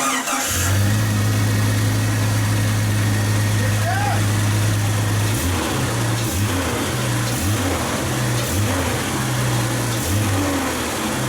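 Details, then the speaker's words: 1999 Jeep Cherokee first start after an engine swap: engine spins up fast to about 5,000 rpm on each blip and drops back cleanly, smooth with no tick, rattle or clang; sounds healthy. "Dude, she spikes quick. That was 5,000. Holy shit. Yeah. Wow. No tick, no rattle, no fucking clang."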